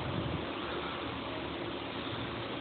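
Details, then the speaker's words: New belt tensioner pulley spun by hand: only a soft even hiss, no grinding or rumble, a healthy bearing, unlike the old pulley's rough bad bearings. "also here on the new one if we spin this one we don't hear anything at"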